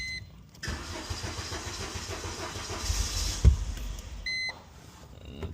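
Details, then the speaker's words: 2005 Mercedes A170: engine catches, runs rough about four seconds, cuts out and dash chimes; scan shows crankshaft position sensor no signal and monitoring error, harness or sensor to be checked. "Cuts back off. So yeah, see what the issue is. Scan the vehicle. These are the codes. Crankshaft is in center, no signal, and then it's saying monitoring error."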